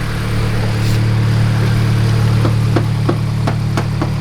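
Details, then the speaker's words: Turbo Toyota GR86 idling after fitting 1050cc injectors and a DeatschWerks 300c fuel pump. An even, steady idle with a low drone and loud, crisp ticking from the injectors and pump; no leaks or misfire, normal idle. "it's running, it's healthy. No fuel leaks on my side of things."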